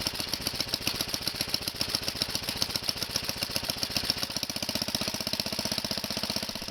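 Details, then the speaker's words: Kohler tractor engine warming up on half choke after a cold start on old gas. Quick, even firing pulses with no skips; it runs healthy. "That's another good sign. They don't like having the choke on after it warms up."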